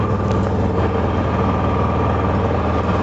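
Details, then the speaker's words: Honda EU6500 inverter generator after carburetor cleaning and draining year-old bad gas: quiet, steady low hum with no surging, misfires or rattles; running smoothly. "listen up quiet listen how quiet this machine is it's running right now i mean you probably hear it louder because my mic but i'll stand over here where the camera is just listen how quiet that is"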